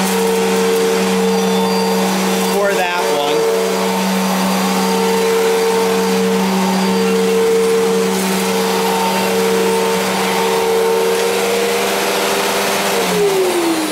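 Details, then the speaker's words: 1999 Fantom Fury vacuum bought used, suction still good: steady motor drone with a higher whine cutting in and out irregularly, also off at switch-on and switch-off; owner suspects worn bearings or failing suction motor. "so yeah works but it just doesn't sound right so anyway if anyone know if anyone could hear that and you know can tell me what's wrong whether it's the bearings on it or if the suction motor is going bad"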